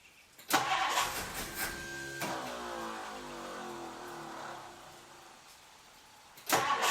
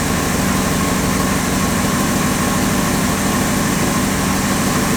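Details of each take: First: 1962 Ford Thunderbird Landau, sat several years: starter cranks steadily, engine coughs as if wanting to fire but never catches, starter not staying engaged; no start from fuel starvation, failed mechanical fuel pump. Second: 1962 Ford Thunderbird Landau 390 V8, sat several years, just after fuel pump replacement: even, smooth V8 idle with a steady low rumble, no ticks, stumbles or misses; normal idle.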